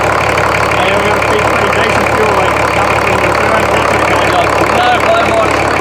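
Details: Rebuilt BMW D190 marine diesel, previously seized and sunk, first start with no coolant, run under a minute: loud, steady clatter at even idle, no knock; builds oil pressure, injection pump working, normal idle.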